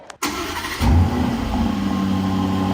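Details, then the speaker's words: Rebuilt crash-damaged Aston Martin DB12, fairly new car: starter catches instantly, one deep bark, then smooth steady idle; sounds good, no complaints; normal start-up and idle. "This is what it sounds like. No complaints. Yeah, that sounds good. That sounds good."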